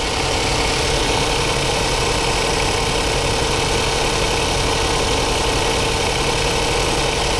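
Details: 2015 Jaguar XF 2.0L four-cylinder at idle, dead misfire with flashing check engine light; faint uneven chuff under a steady drone; spark on cylinder one looks comparable to the rest, possibly running slightly lean.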